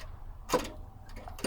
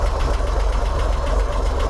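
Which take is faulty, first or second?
first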